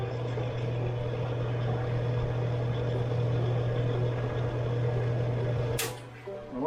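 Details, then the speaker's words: About 70-year-old Homart Sears fan after reassembly, motor re-secured in its saddle: motor hums steadily at low pitch while the blades fail to start spinning; drive belt too loose and slipping on the pulley, to be tightened. "i kind of noticed there is i don't think this is tight enough i think it should be tighter than it is so i believe i'm going to change a little change to how tight that is because the motor starts the fan doesn't start spinning it slips on the pulley"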